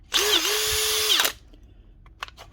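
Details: Makita DHP486 cordless drill: spins up quickly to a steady high whine, holds an even pitch about a second, then winds down cleanly; motor runs healthy.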